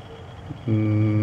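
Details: Core 2 Duo desktop, upgraded, after six months of use without cleaning, booting, noisy hard drive in a Scythe Himuro enclosure: low steady hum, no rattle, ticking or bearing growl; quiet, healthy fans.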